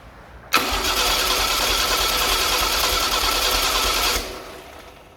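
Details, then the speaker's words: Chevy SS restoration engine, cranked with the coil disconnected to build oil pressure: starter spins it evenly about three beats a second for four seconds without firing; oil light went out, normal cranking. "Oh very good the light went out So that means that the oil system raises pressure I'm going to make it rotate a few more times"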